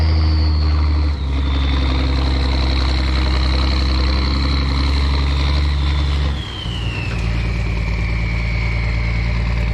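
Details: M35A2 military diesel truck, started right up after sitting long (a disconnected wire found): deep steady diesel rumble, brief dip then smooth pickup in revs; runs really good, everything works, clean; normal idle and revving.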